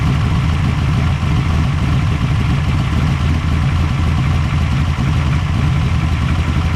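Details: Engine idling steadily with an even low rumble and no misses or knocks after starting.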